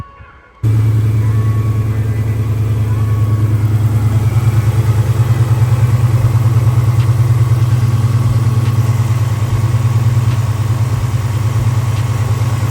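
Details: Just started engine idling after a driver-side valve cover hose that pushed the hood scoop into the fan was removed: steady, even low idle with smooth pulse, no knocks, ticks or the earlier plastic-hitting fan noise; running clean.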